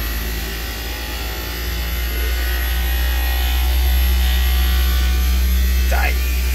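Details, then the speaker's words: Daikin "Rebel" package VRV rooftop unit, failing inverter compressor under load in hot weather: heavy low droning hum swelling harsher as it loads; sounds like it's going to come apart, compressor judged done. "oh that was horrible it's like this like captain i can't give her any more the whole thing's going to come apart that sounds so bad anyway yeah we could just say that compressor is done"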